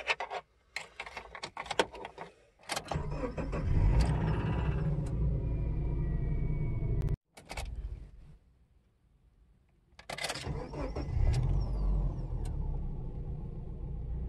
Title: Cold and Warm start, only a little rod knock